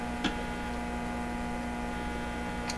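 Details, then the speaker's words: Hallicrafters TW2000 radio under repair, listening at output tube plate with B+ power supply: constant low buzzing hum with two faint clicks; grid also humming, hum source not yet isolated. "Of course this yeah, so there's a little hum there, but of course it's humming because the grid is humming. I mean, it's all humming."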